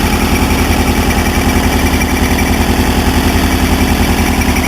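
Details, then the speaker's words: 1977 VW Bus Riviera camper engine at idle: even low thrumming at a steady beat with no misses, knocks or ticks; engine runs really well and very clean. "The engine runs really well, very clean."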